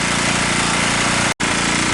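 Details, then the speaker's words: Abandoned 2 kW generator, cold start on choke after no-start repair: small engine holds a steady, even beat with no misses or hunting; normal running. "let's see what she wants to do well that looks good sounds good let me get a grinder"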